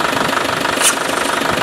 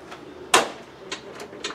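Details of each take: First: Land Rover Defender Tdi (Spanish 110) diesel running: sharp rush of air as the vacuum hose is pulled off, servo pulling itself in; brake vacuum pump, once suspected faulty, pulling good vacuum and working properly. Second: Land Rover 110 diesel catches after a few cranks into an uneven, hard-edged clatter at idle; knock heard while driving, owner suspects timing slightly advanced, cause unconfirmed.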